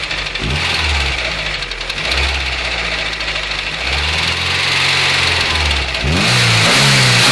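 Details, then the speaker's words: VW Golf 2 1.6 engine knocking near cylinder one while driving: hard knock over the revs, quickening as rpm climbs. Owner first suspected a lifter or camshaft; the cause was a collapsed timing belt roller bearing with its balls fallen out. A new roller fixed it. "вот она вся причина которая была стука ролик развалины шарики шарики скатились вниз все и он стучал стучит как зараза"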